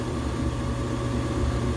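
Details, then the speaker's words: Washing machine after replacing belt, shock absorbers, drum support springs and pump, at highest spin speed: steady smooth drone with a rising whine, no knocking or grinding; running healthy. "The whine that slowly gets higher and higher pitch is making me nervous. Right here. Wait for it to explode. Oh, here's the highest speed."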